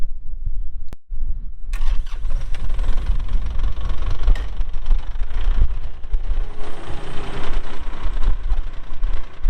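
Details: 2022 Kubota L3902 4WD gear-drive tractor with loader, 107 hours: a starter crank about one second in, then the diesel catches and settles into a steady, even low rumble; healthy cold-start idle.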